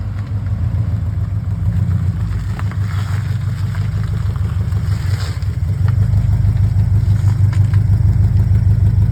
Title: New Tomei UEL Headers exhaust leak